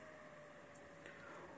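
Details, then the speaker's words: Creality Ender-3 V2 3D printer after silencing its 24-volt hotend radiator and motherboard cooling fans with a transistor wired inline: very faint, even fan hiss with a soft steady hum, no rattle or whine. "in this short video i want to show you how you can silent your ender 3v2 fans make them super silent like this from this to this"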